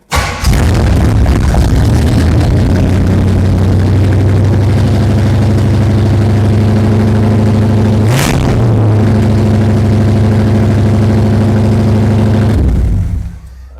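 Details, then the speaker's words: 1977 Pontiac Firebird with overhauled small-block Pontiac 350 V8 after 18 years in a barn, cold start after three pedal pumps: fires and holds a fast, steady idle with one brief blip and never drops; owner suspects the poorly tuned Quadrajet carburetor. "as you could hear that we got a pretty high idle issue"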